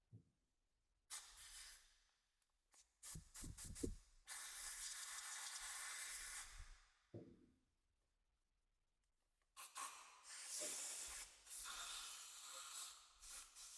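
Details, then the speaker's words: 1975 Yamaha TY250 trials bike carburetor, non-running with low compression: short bursts of compressed air hissing strongly and unrestricted through the pilot circuit, showing it flows freely and is clear. "And that's our this is our pilot circuit here. And with compressed air you can hear that it's it's actually flowing nicely."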